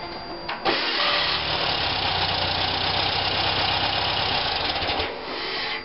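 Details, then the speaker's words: 1973 VW engine, diesel fuel in it, oil pressure about 50 psi, while cranking: harsh gritty racket for about four seconds, well above normal; owner suspects starter, flywheel or their engagement, unconfirmed; loose alternator may add noise. "when it goes to crank it makes a heck of a racket like and and it could be the uh could be the starter could be the flywheel"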